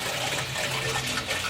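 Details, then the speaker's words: Newly installed water heater (unit had sat unused a long time) filling from the cold supply: steady hiss and gush of water running evenly, no sputter or drip pattern; normal tank filling. "Now I'm just going to fill it up. You can hear it. Fill it up."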